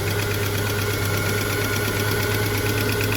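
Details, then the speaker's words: Subaru Liberty wagon sitting on a farm for years, first start in 40-degree heat: light quick ticking over steady idle hum, tappety top end; cause not pinned down, smells oily, charging at 14 V. "Bit tappy run run run run run we're a little idle though hey it's [Applause] idling look at that"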